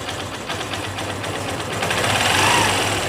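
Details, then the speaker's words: Honda Shine BS3 single after timing chain tensioner pressure increased, following a light chain noise despite a recently replaced chain: runs steadily with a light, even patter and no chain rattle at high or low revs; normal running. "এখন আওয়াজ তাহলে আপনারা শুনতে পারলেন, যে দেখলেন high স্পিডেও কিন্তু আওয়াজ নেই এবং স্লো টিউনিংয়েও আওয়াজ নেই।"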